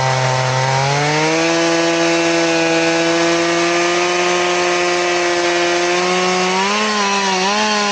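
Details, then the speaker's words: Two-stroke chainsaw with its chain filed to 10 degrees: a steady note that drops low and stays bogged under load in the cut, biting slowly like a dull chain. "It's almost like it's a dull chain is what it acts like. I'm going to try a cross cut and see what it does."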